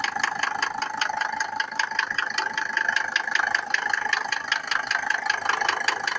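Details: Mercedes W124 with OM602 2.5 diesel, cold start: sharp regular metallic knocks, two to three a second, over the idle; knocking when cold, cause unknown.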